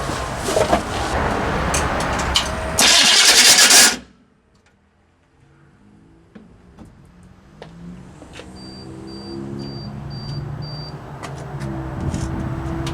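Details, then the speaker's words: Chevy P30 food truck with a non-turbo GM 6.2 Detroit diesel, new starter with shims removed: harsh metallic grinding for about four seconds while cranking, then it catches and idles; flywheel teeth suspected missing. "foreign that sounds pretty bad let's put a new starter on it [Applause] that was really bad I probably checked the flywheel see how many teeth are missing"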